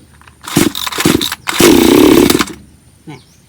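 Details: Bonto 5200 chainsaw that would not start, blamed on stale fuel: two short blips, then a strong sustained rev dropping back to a quiet idle; starts readily and pulls cleanly, normal running.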